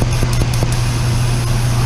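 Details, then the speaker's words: 2013 Nissan Murano with cam timing codes, high compression and low vacuum: even idle drone with faint airy hiss; a too-long bolt punched a hole causing a massive vacuum leak, running way lean. "ssive vacuum leak um I think it's going to change things I'm thinking man that is great so now my high compression and my low vacuum I could be solving this from what he has found"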